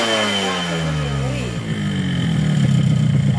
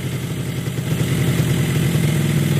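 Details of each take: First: Yamaha RX-King two-stroke, bought used with a very rough engine, rebored block and rod checked; on test it runs smoother with a dry rattling knock: piston slap, piston still loose, possibly too-loose bore; piston to be boiled in oil. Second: Yamaha RX-King two-stroke after crank/conrod and block rebuild: smooth, even idle lifting slightly with throttle, no knocks or rattles — normal idle.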